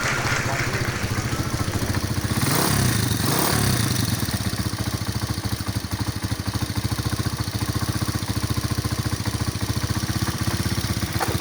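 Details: Motorstar 155 single-cylinder, previously hard starting, now starting on one click: steady, even idle after a small early rev, no misfire or stumble; sounds healthy.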